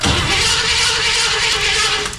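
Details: Freshly wired engine after setting ignition timing to cylinder one, fuel pump not yet mounted: starter whirs steadily for a couple of seconds but it never fires; crank-no-start, cause suspected, not confirmed.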